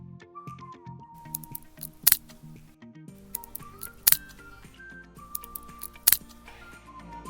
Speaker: some components inside the fridge expand and contract with temperature changes which in turn make some snapping sounds especially after the defrosting process